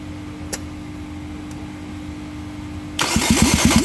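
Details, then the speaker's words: 2017 Nissan Sunny after an engine change, engine still half-fitted: steady hum, then under a second of starter churning that dies away. Spark appears once then disappears, so it cranks but won't start; owner suspects engine timing. "यह देख सकते हैं current आया और फिर चला गया य तो ये जैसे ही एक दफा स्क करती है उसके बाद य करंट गायब हो जाता है जैसे इस करंट को परमानेंट आना चाहिए वैसा नहीं आ रहा यह जो हमारी प्रॉब्लम है ना यह इसकी टाइमिंग की प्रॉब्लम है"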